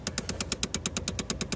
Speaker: if you put your finger up against it that one that's definitely the one that's clicking there's not really any need to do a lot of Diagnostics on these they have issues severe issues with those